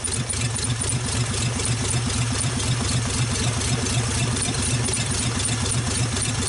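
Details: 1948 Nash engine after first start, carburetor rebuilt, water hose flushing cooling system, warming up; steady, fairly even beat with a light rattle on top, holding speed without stumbling, running well.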